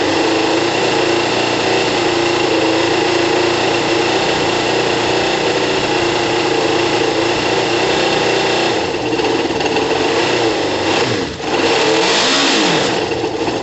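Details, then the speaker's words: Kawasaki ZL600 after valve adjustment, new coils and resealed exhaust, on choke, warming up, about 3 L fuel on reserve: smooth even high idle, no hiss or puffing at exhaust joints, no ticking; healthy. "the bike needs a couple of minutes to warm up it's uh significantly quiet ear guys you can't hear any air escaping from the exhaust it's great news you can just hear the engine the engine sounds great"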